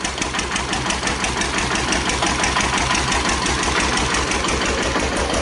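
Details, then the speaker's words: 1941 Witte single-cylinder diesel electric plant with an 8 kW generator at 50% load: even thumping of about three firings per second holding steady. It runs normally under load, though the worn governor linkage gives some droop. "a little bit more load on ur good eight thousand watt generator after all you can really hear the difference that's 50% load"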